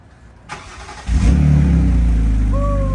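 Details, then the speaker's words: 2006 BMW 325i, bought as a no-start, first start after replacing the crank sensor, which had been found unplugged; brief starter churn, catches cleanly, a light rev, then a smooth, steady, civilized idle with no surging, normal start. "That's civilized, Dude, right? And that's a good idle. It's not gangster. That's not throttly. That's not throaty."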